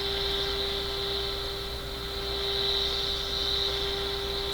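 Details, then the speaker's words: Westinghouse 5T121R clock radio after power supply filter capacitor replacement, during IF alignment: 1 kHz test tone with a 60-cycle hum underneath; more capacitors suspected to need changing. "so I think probably a couple more capacitors got to be changed there's something going on making that instead of a pure tone it sounds like it's got a 60 cycle hum in it"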